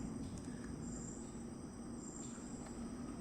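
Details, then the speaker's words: 2022 LG smart inverter compressor refrigerator, after installing a new original LG DC fan motor for a noise complaint: soft steady low hum, running smoothly with no rattle, scrape or ticking; normal fan operation. "പ്രത്യേകിച്ച് സൗണ്ടോ ഒന്നുമില്ല നല്ല smooth ആയിട്ട് work ചെയ്യുന്നുണ്ട്"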